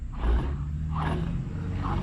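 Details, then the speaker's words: 2004 Ford F350 at 306k miles, front wheel spun by hand before hub replacement; dry, gritty rumble swelling once per turn, hub bearing judged shot without inspection. "grinding can you all hear that yep so that bearing is definitely I'm going to say shot without looking at it"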